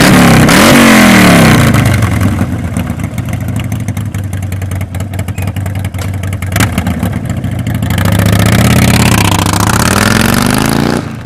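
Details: 2014-up Harley-Davidson Sportster after Stage 1 kit install and Power Vision tune: twin fires up and revs cleanly, loping beat rising and falling with throttle, no knocks or rattles; normal healthy start and revving.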